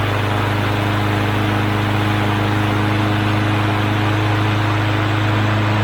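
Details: Push mower (bagger with breather tube mod) that started but wouldn't stay running, after carburetor cleaning and bowl debris removal: constant, even drone at steady speed with no surging or dying; fixed.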